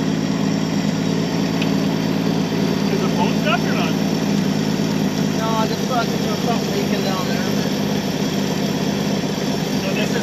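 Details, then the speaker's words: 1966 Chevy Biscayne straight six, Powerglide, after 20 years sitting and new parts, power fed to coil: steady, even low idle with smooth rhythm, no knocks or misses; runs good though a little smoky. "This thing runs good. It's a little smoky."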